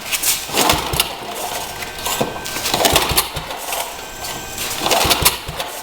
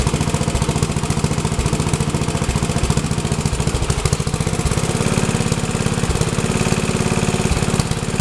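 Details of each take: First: Rebuilt Troy-Bilt tiller, throttle readjusted the day before: repeated pull-start attempts with brief sputters that never catch; hard starting, owner suspects wrong choke setting, choke maybe the other way. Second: Troy-Bilt tiller test run after rebuild; owner unsure of choke setting (full, half or none) but it starts and runs good: small single-cylinder engine chugging at a steady, even beat about three and a half firings a second, no misses or knocks.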